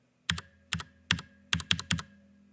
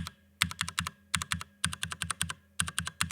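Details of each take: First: Stock factory-lubed Cherry MX Brown switch on a Drop ALT low-profile keyboard: six crisp keystrokes, each with a thin metallic ring, plastic rubbing and a loose-fit rattle; unlubricated switch spring ping. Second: Cherry MX Brown switches on a Drop ALT keyboard, fully lubed (spring and housing): even clacks in bursts of four to six presses, small rough bits smoothed out, no scratch or rattle; smooth keypress.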